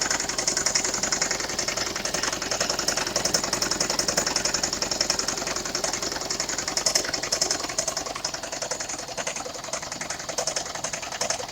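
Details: 2002 Toyota Prius engine with codes P0300-P0303: busy, ticking idle with an uneven stumbling beat and a hissy top end. New NGK iridium plugs changed nothing, injectors test OK, and a cracked coil pack on cylinder 4 is suspected.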